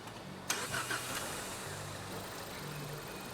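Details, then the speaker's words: 2018 Ford Edge 2.0L, running bad; the client claimed it needed a bank 1 oxygen sensor. At start-up it cranks, catches and settles into a weak, uneven idle that stumbles now and then while scoped; retarded valve timing. "all right this is going to be our first and it's jumping it's running bad right now"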